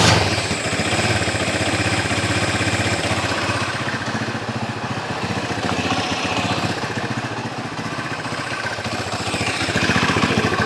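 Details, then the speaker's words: Honda Tiger motorcycle, hard to start when cold, engine still hot, carburettor setting: small engine idles with a loose, uneven beat wavering in strength; unstable idle, cause suspected, not confirmed. "tapi ini kan susah hidup atau tidak stabil maka dipastikan ketiga unsur itu ada saya bilang ada oke nah yang bikin masalah adalah gangguannya contoh semacam ini saya hidupkan lagi ya"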